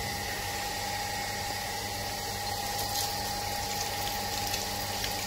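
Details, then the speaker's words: Shimizu automatic water pump before adjustment: steady fixed-tone motor hum with running water, and the pump keeps running after the tap is closed; the pressure switch isn't cutting off, fixed by turning its adjusting screw clockwise about 50 degrees. "kita coba untuk kulit lingkarannya mesin tetap menyala Sobat dan tidak mau mati"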